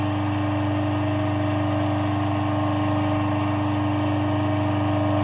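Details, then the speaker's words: Three-phase 380 V, 2.2 kW electric motor running on 220 V mains through run and start capacitors forming an artificial phase, giving about 75–80% of rated power; steady even hum with no knocking, grinding or surging, before its rotation is reversed; running normally. "в порядке, мотор работает."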